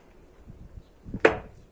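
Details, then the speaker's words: VW Gol G3 door: quiet handling then one sharp loud crack, mainly when closing; typical worn, sticking door check strap. "lá a hora que vai fechar que ele faz o barulho é e principalmente na hora que vai fechar"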